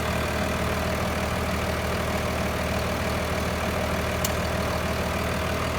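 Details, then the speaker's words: F350 with a swapped 5.9 Cummins diesel, stock, checked for blow-by at startup: even diesel idle with steady low clatter, no blow-by or smoke; sounds healthy. "No smoke, it's totally stock. That still sounds good."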